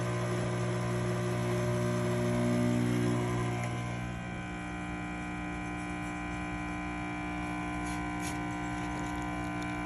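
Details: Rocket Appartamento espresso machine after full service, pressure around 1 to 1.2: steady even pump hum with constant low buzz, no surging, stutter or rattle; normal pump operation.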